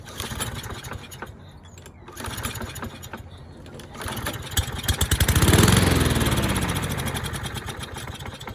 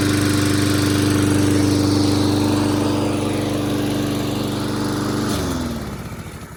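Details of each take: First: Curbside Toro mower, model 20370, second start attempt before carburetor cleaning: a few pulls, then it catches, races briefly and fades within seconds. It starts and dies, judged a dirty carburetor. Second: Toro mower, model 20370, after carburetor cleaning, reassembly and fresh gas: small single-cylinder engine runs at a steady, even beat for five seconds, then winds down as it shuts off. Runs normally now, no longer starting and dying.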